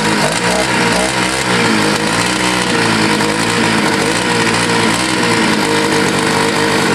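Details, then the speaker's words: Scooter that sat a year and got wet, restarted after choking: a loud, steady two-stroke buzz at an even pitch with no cutting out or sputter, normal running. "okay let's just restart yeah good deal nice"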